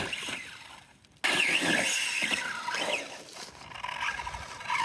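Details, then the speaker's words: Team Corally Punisher4 4S RC monster truck after a jump: high rattly whir and scraping grind under power as teeth slip; stripped pinion gear, Corally pinion recommended. "Oh, bummer. So, I'm not sure if you can hear it, but that's our pinion gear. I should have known."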